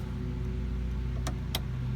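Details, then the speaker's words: Chevelle cabin blower motor working again on all speeds, including high, after an inline 30 amp mini fuse was added; key on, steady even hum with a couple of light clicks; normal blower motor operation. "that was the highest setting I had previously but now you can hear the motor pick up and it works great so all fixed"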